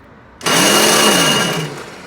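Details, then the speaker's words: Free roadside Toro CCR 2450 single-stage 20-inch snowblower, primer bulb missing: a short high whir of about a second fades with no engine catching; electric starter spins but doesn't engage, owner suspects frozen or stripped gear. "either the gear is frozen or it's stripped but I will know"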